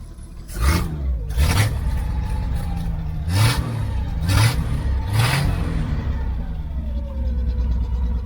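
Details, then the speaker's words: 1972 Chevy Nova with new exhaust, straight pipe and Cherry Bomb muffler welded on: five quick deep rumbling blips rising and falling cleanly, no rattle; healthy exhaust note. "So anyway, let me get that on there and we'll see what it sounds like. Okay, doesn't sound too bad."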